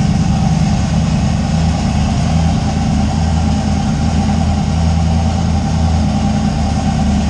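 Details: Deep, steady low rumble with an even beat and no misses or knocks from a 358W 80mm-turbo Fox Body V8 started after the injector ground was wired; it idles smoothly.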